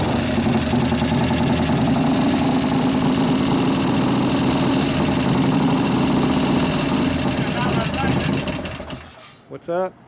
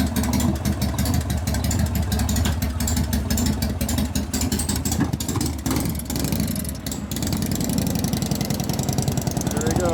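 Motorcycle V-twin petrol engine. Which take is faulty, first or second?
first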